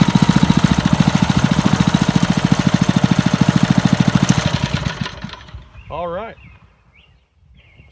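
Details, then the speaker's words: Montgomery Ward rototiller, small single-cylinder engine, after getting it running again with spark and choke working, air cleaner still off: chugs evenly at a steady idle for several seconds then dies away; runs healthy and smooth. "Sounds pretty darn good, I think."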